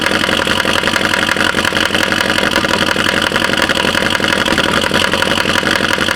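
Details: 2012 Chevy Caprice PPV 6.0 LS V8 on cold start, a month after a DOD delete with a stage 2 cam, new lifters and rockers: fast, sharp valvetrain tick from the driver-side bank, louder with rpm, no misfire codes. Cause unconfirmed.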